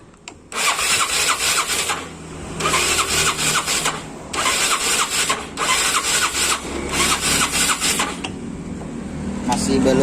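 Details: Yamaha Mio Sporty scooter that often stalls, after reassembly: five short starter bursts of about a second and a half each, engine never catches; cranks but won't fire.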